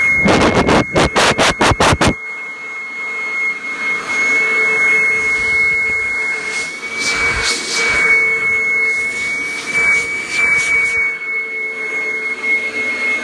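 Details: 1997 Kirby G5 upright vacuum fitted with a metal fan, run with the blower attachment: sharp clicks, then a steady high airy whine over a lower hum, blowing freely; owner says it sounds like a vintage 500-series Kirby; normal motor run.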